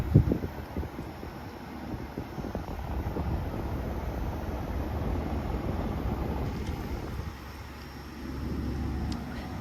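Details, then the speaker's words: Brand-new Midea U 6,000 BTU window air conditioner at first startup, set to 69 with the room at 73: soft, steady fan rush and low hum that drops quieter when switched to low speed, now blowing cold and running normally. "It is now blowing nice and cold. Here's low speed."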